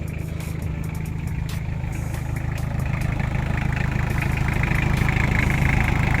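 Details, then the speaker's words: Toyota Tamaraw FX, Toyota 2C diesel, after repair of misfire and hard starting, started in neutral and now starting on one click: steady, even idle clatter, about three pulses a second, no misses or stumbles; normal diesel idle. "Ayan, good job na mga kaibi. At naging okay na. One click na lang siya."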